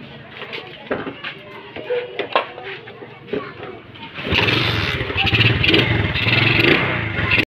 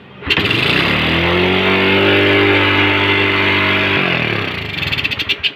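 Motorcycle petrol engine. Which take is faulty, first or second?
second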